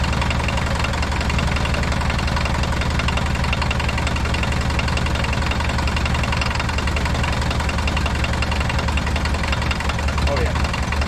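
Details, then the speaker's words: Abandoned 1980s VW Rabbit diesel pickup, gravity-fed from a fuel jug, idling with a steady knock over the diesel clatter; owner suspects rod knock or piston slap, though it otherwise runs pretty smooth. "i definitely hear like a rod knock or a piston slap or something she runs cherry"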